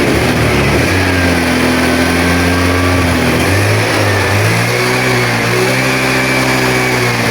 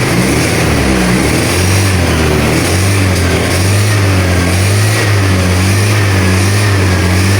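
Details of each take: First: Honda Vario 110 scooter with battery suspected of not holding charge (charging confirmed present), kick-started and warming up for 10–15 minutes; steady, even hum with smooth rises and falls in revs, no knocks or rattles; running healthy. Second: Honda Vario 110 scooter with a weak battery, initially wouldn't start, revved on throttle blips: uneven drone that dips and catches instead of climbing cleanly. Ignition misfire; fuel supply judged fine.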